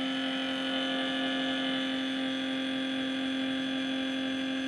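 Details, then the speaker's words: Toshiba two-door fridge, heard from the back; loud steady buzzing hum at one fixed pitch, no knocks; lower compartment not cooling while top freezes; abnormal noise, cause not confirmed. "Dan ini suaranya nyaring banget ya, bisa dengar gak ya suaranya kayak gini suaranya."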